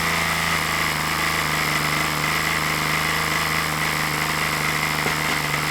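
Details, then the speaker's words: OS LA40 nitro glow engine on a balsa trainer plane, first test run of a used engine: high-pitched buzzing drone with a slightly soggy uneven note, running rich; needle needs leaning out. "that sounds a bit Rich son you want to wind that back"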